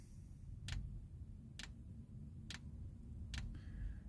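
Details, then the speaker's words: 8 kW Vevor Chinese diesel heater running, fuel pump pushing diesel to the heater: single crisp clicks just under one a second over a quiet hum, the dosing pump ticking normally. "working is that we'll hear the click oh there it goes now the fuel pump's"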